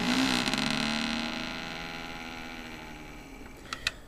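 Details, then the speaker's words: AVC hydraulic-bearing CPU cooler fan, unplugged and whirring down with a fading hum and loose rattle underneath; play felt in the bearings, rattles only at certain times. Worn bearing with play, before oiling with 3-in-One oil. "it sounds fine right now but sure can feel the play in the bearings and it only rattles at certain times but it rattled all morning this morning"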